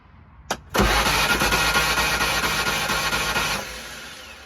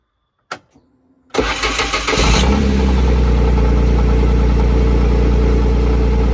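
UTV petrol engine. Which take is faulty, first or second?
first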